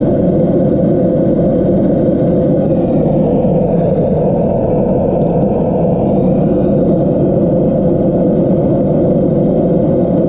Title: Geladeira fazendo barulho estranho Descubra o motivo!